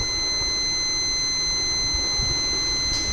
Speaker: Tapi kalau short itu biasanya dia akan bunyi seperti ini terus menerus, nggak berhenti, biasanya seperti itu. Nah, ini baru short ya kalau kayak gini.